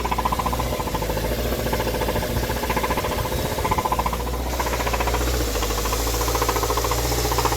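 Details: 2013 Hyundai Sonata petrol engine, warm after about five minutes idling post-recall, codes P0014 and P1326, flashing check engine light: heavy steady knock nearly four a second and engine rocking; rod knock, blown engine.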